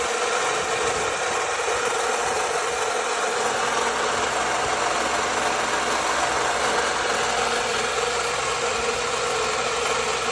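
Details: 2009 Lexus IS250 petrol engine idling with a loud, steady whirring hiss that never settles, still present after a water pump change; cause unknown.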